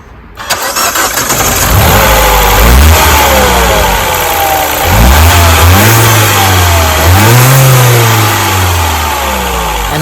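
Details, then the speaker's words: Mini petrol engine cranks, starts and revs smoothly with even firing and turbo whistle after replacing the faulty cylinder 3 ignition coil; misfire fixed. "as you see this coil works perfectly and now this car is not misfiring and you can hear the turbo"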